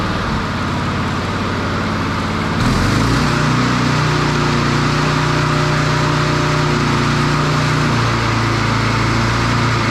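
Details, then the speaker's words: Standard push mower engine after a broken governor arm spring fix. Steady running, then the pitch jumps up and holds noticeably higher. The spring was moved one notch, a couple of mm, and the engine overspeeds. "so as you could hear there that was the difference of moving that spring from one notch to the other which was only a couple of mil difference in it"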